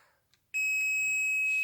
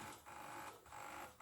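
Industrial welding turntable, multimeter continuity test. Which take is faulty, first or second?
first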